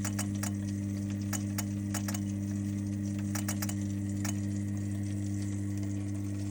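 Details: Lay-Z-Spa hot tub with constant E02 error: steady pump hum with uneven ticking clicks over it, pointing to a faulty water flow sensor/switch; a flow sensor repair kit is the fix.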